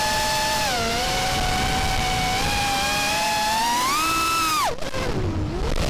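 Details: RDQ 2205 2450kv brushless motors on a quad that flies well: several steady high motor tones climb and dip together with throttle, rough and uneven in playback; strange motor noise, cause unknown.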